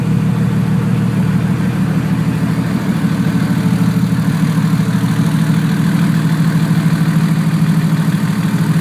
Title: Checking for fan operation. Notice there is a small exhaust leak at the turbo flange.